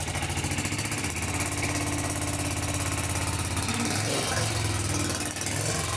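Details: Kawasaki FS651S twin on a high-hour mower, after valve lash set, everything torqued to spec, plug refitted: runs with uneven lumpy beat and knock-like roughness, smoking heavily; owner suspects internal damage such as a piston ring, unconfirmed.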